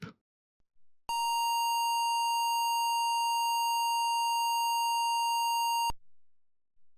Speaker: since this computer has a memory channel that is not working I will get an error